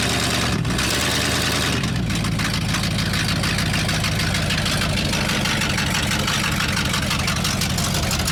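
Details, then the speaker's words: Abandoned 1979 Ford F-350 dually, about 45 years old and long off the road, running on its own; deep, even V8 burble with a steady loping beat and no misses: normal idle. "Dude! It's idling! She's idling, dude! That's amazing. It doesn't sound bad."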